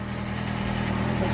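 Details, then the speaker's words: 2007 Kawasaki Ninja ZX-6R, 5k miles, sat 10 years, first start after fuel pump install: engine catches and holds a steady, even run with no misses or knocks; normal running. "dammit no way it turned on dude that's crazy hell yeah"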